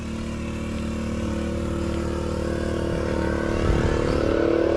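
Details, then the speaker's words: Off-grid generator charging a low battery bank on a cloudy day, charger at 14.3 V and 17 amps; steady deep engine drone with firm even beat, still running pretty hard under charging load; generator running under heavy load. "sounds like it's still running pretty hard. We're at 14.3, that's good."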